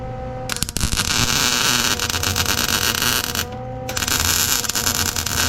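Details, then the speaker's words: Small wire-feed welder, wire low on the spool, stitching heavy-gauge steel to repair a Massey Ferguson 40 brush hog. Steady harsh crackling hiss with a brief break; arc thin and struggling from insufficient amperage. "it's not very enough amperage here it don't lock this little this little wire a little welder don't like this heavy gauge steel it's not made for it"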